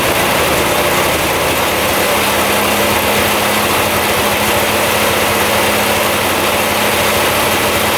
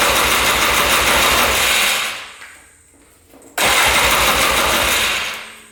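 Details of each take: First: 2002 Polaris Scrambler 400 4x4 ATV restarted after running about 10 minutes; even single-cylinder thump about four beats a second, steady until shutdown; clean healthy idle. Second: 2002 Polaris Scrambler 400 4x4 ATV, all original, choked on first start attempt; catches with a loud rough burst, dies within two seconds, fires again and fades; won't keep running; owner suspects low compression once oil left the cylinder.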